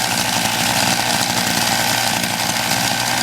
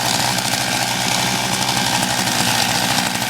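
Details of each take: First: MVS 10 gas scooter, cold start after four primes: steady, rapid two-stroke buzz at a fairly even high idle, choke left on until it nearly stalls; engine running on choke after cold start. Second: MVS 10 gas scooter, cold start at about 31 degrees, primed four times, choke on: fast, buzzy, slightly uneven small engine running rich on choke, near stalling; time to open the choke.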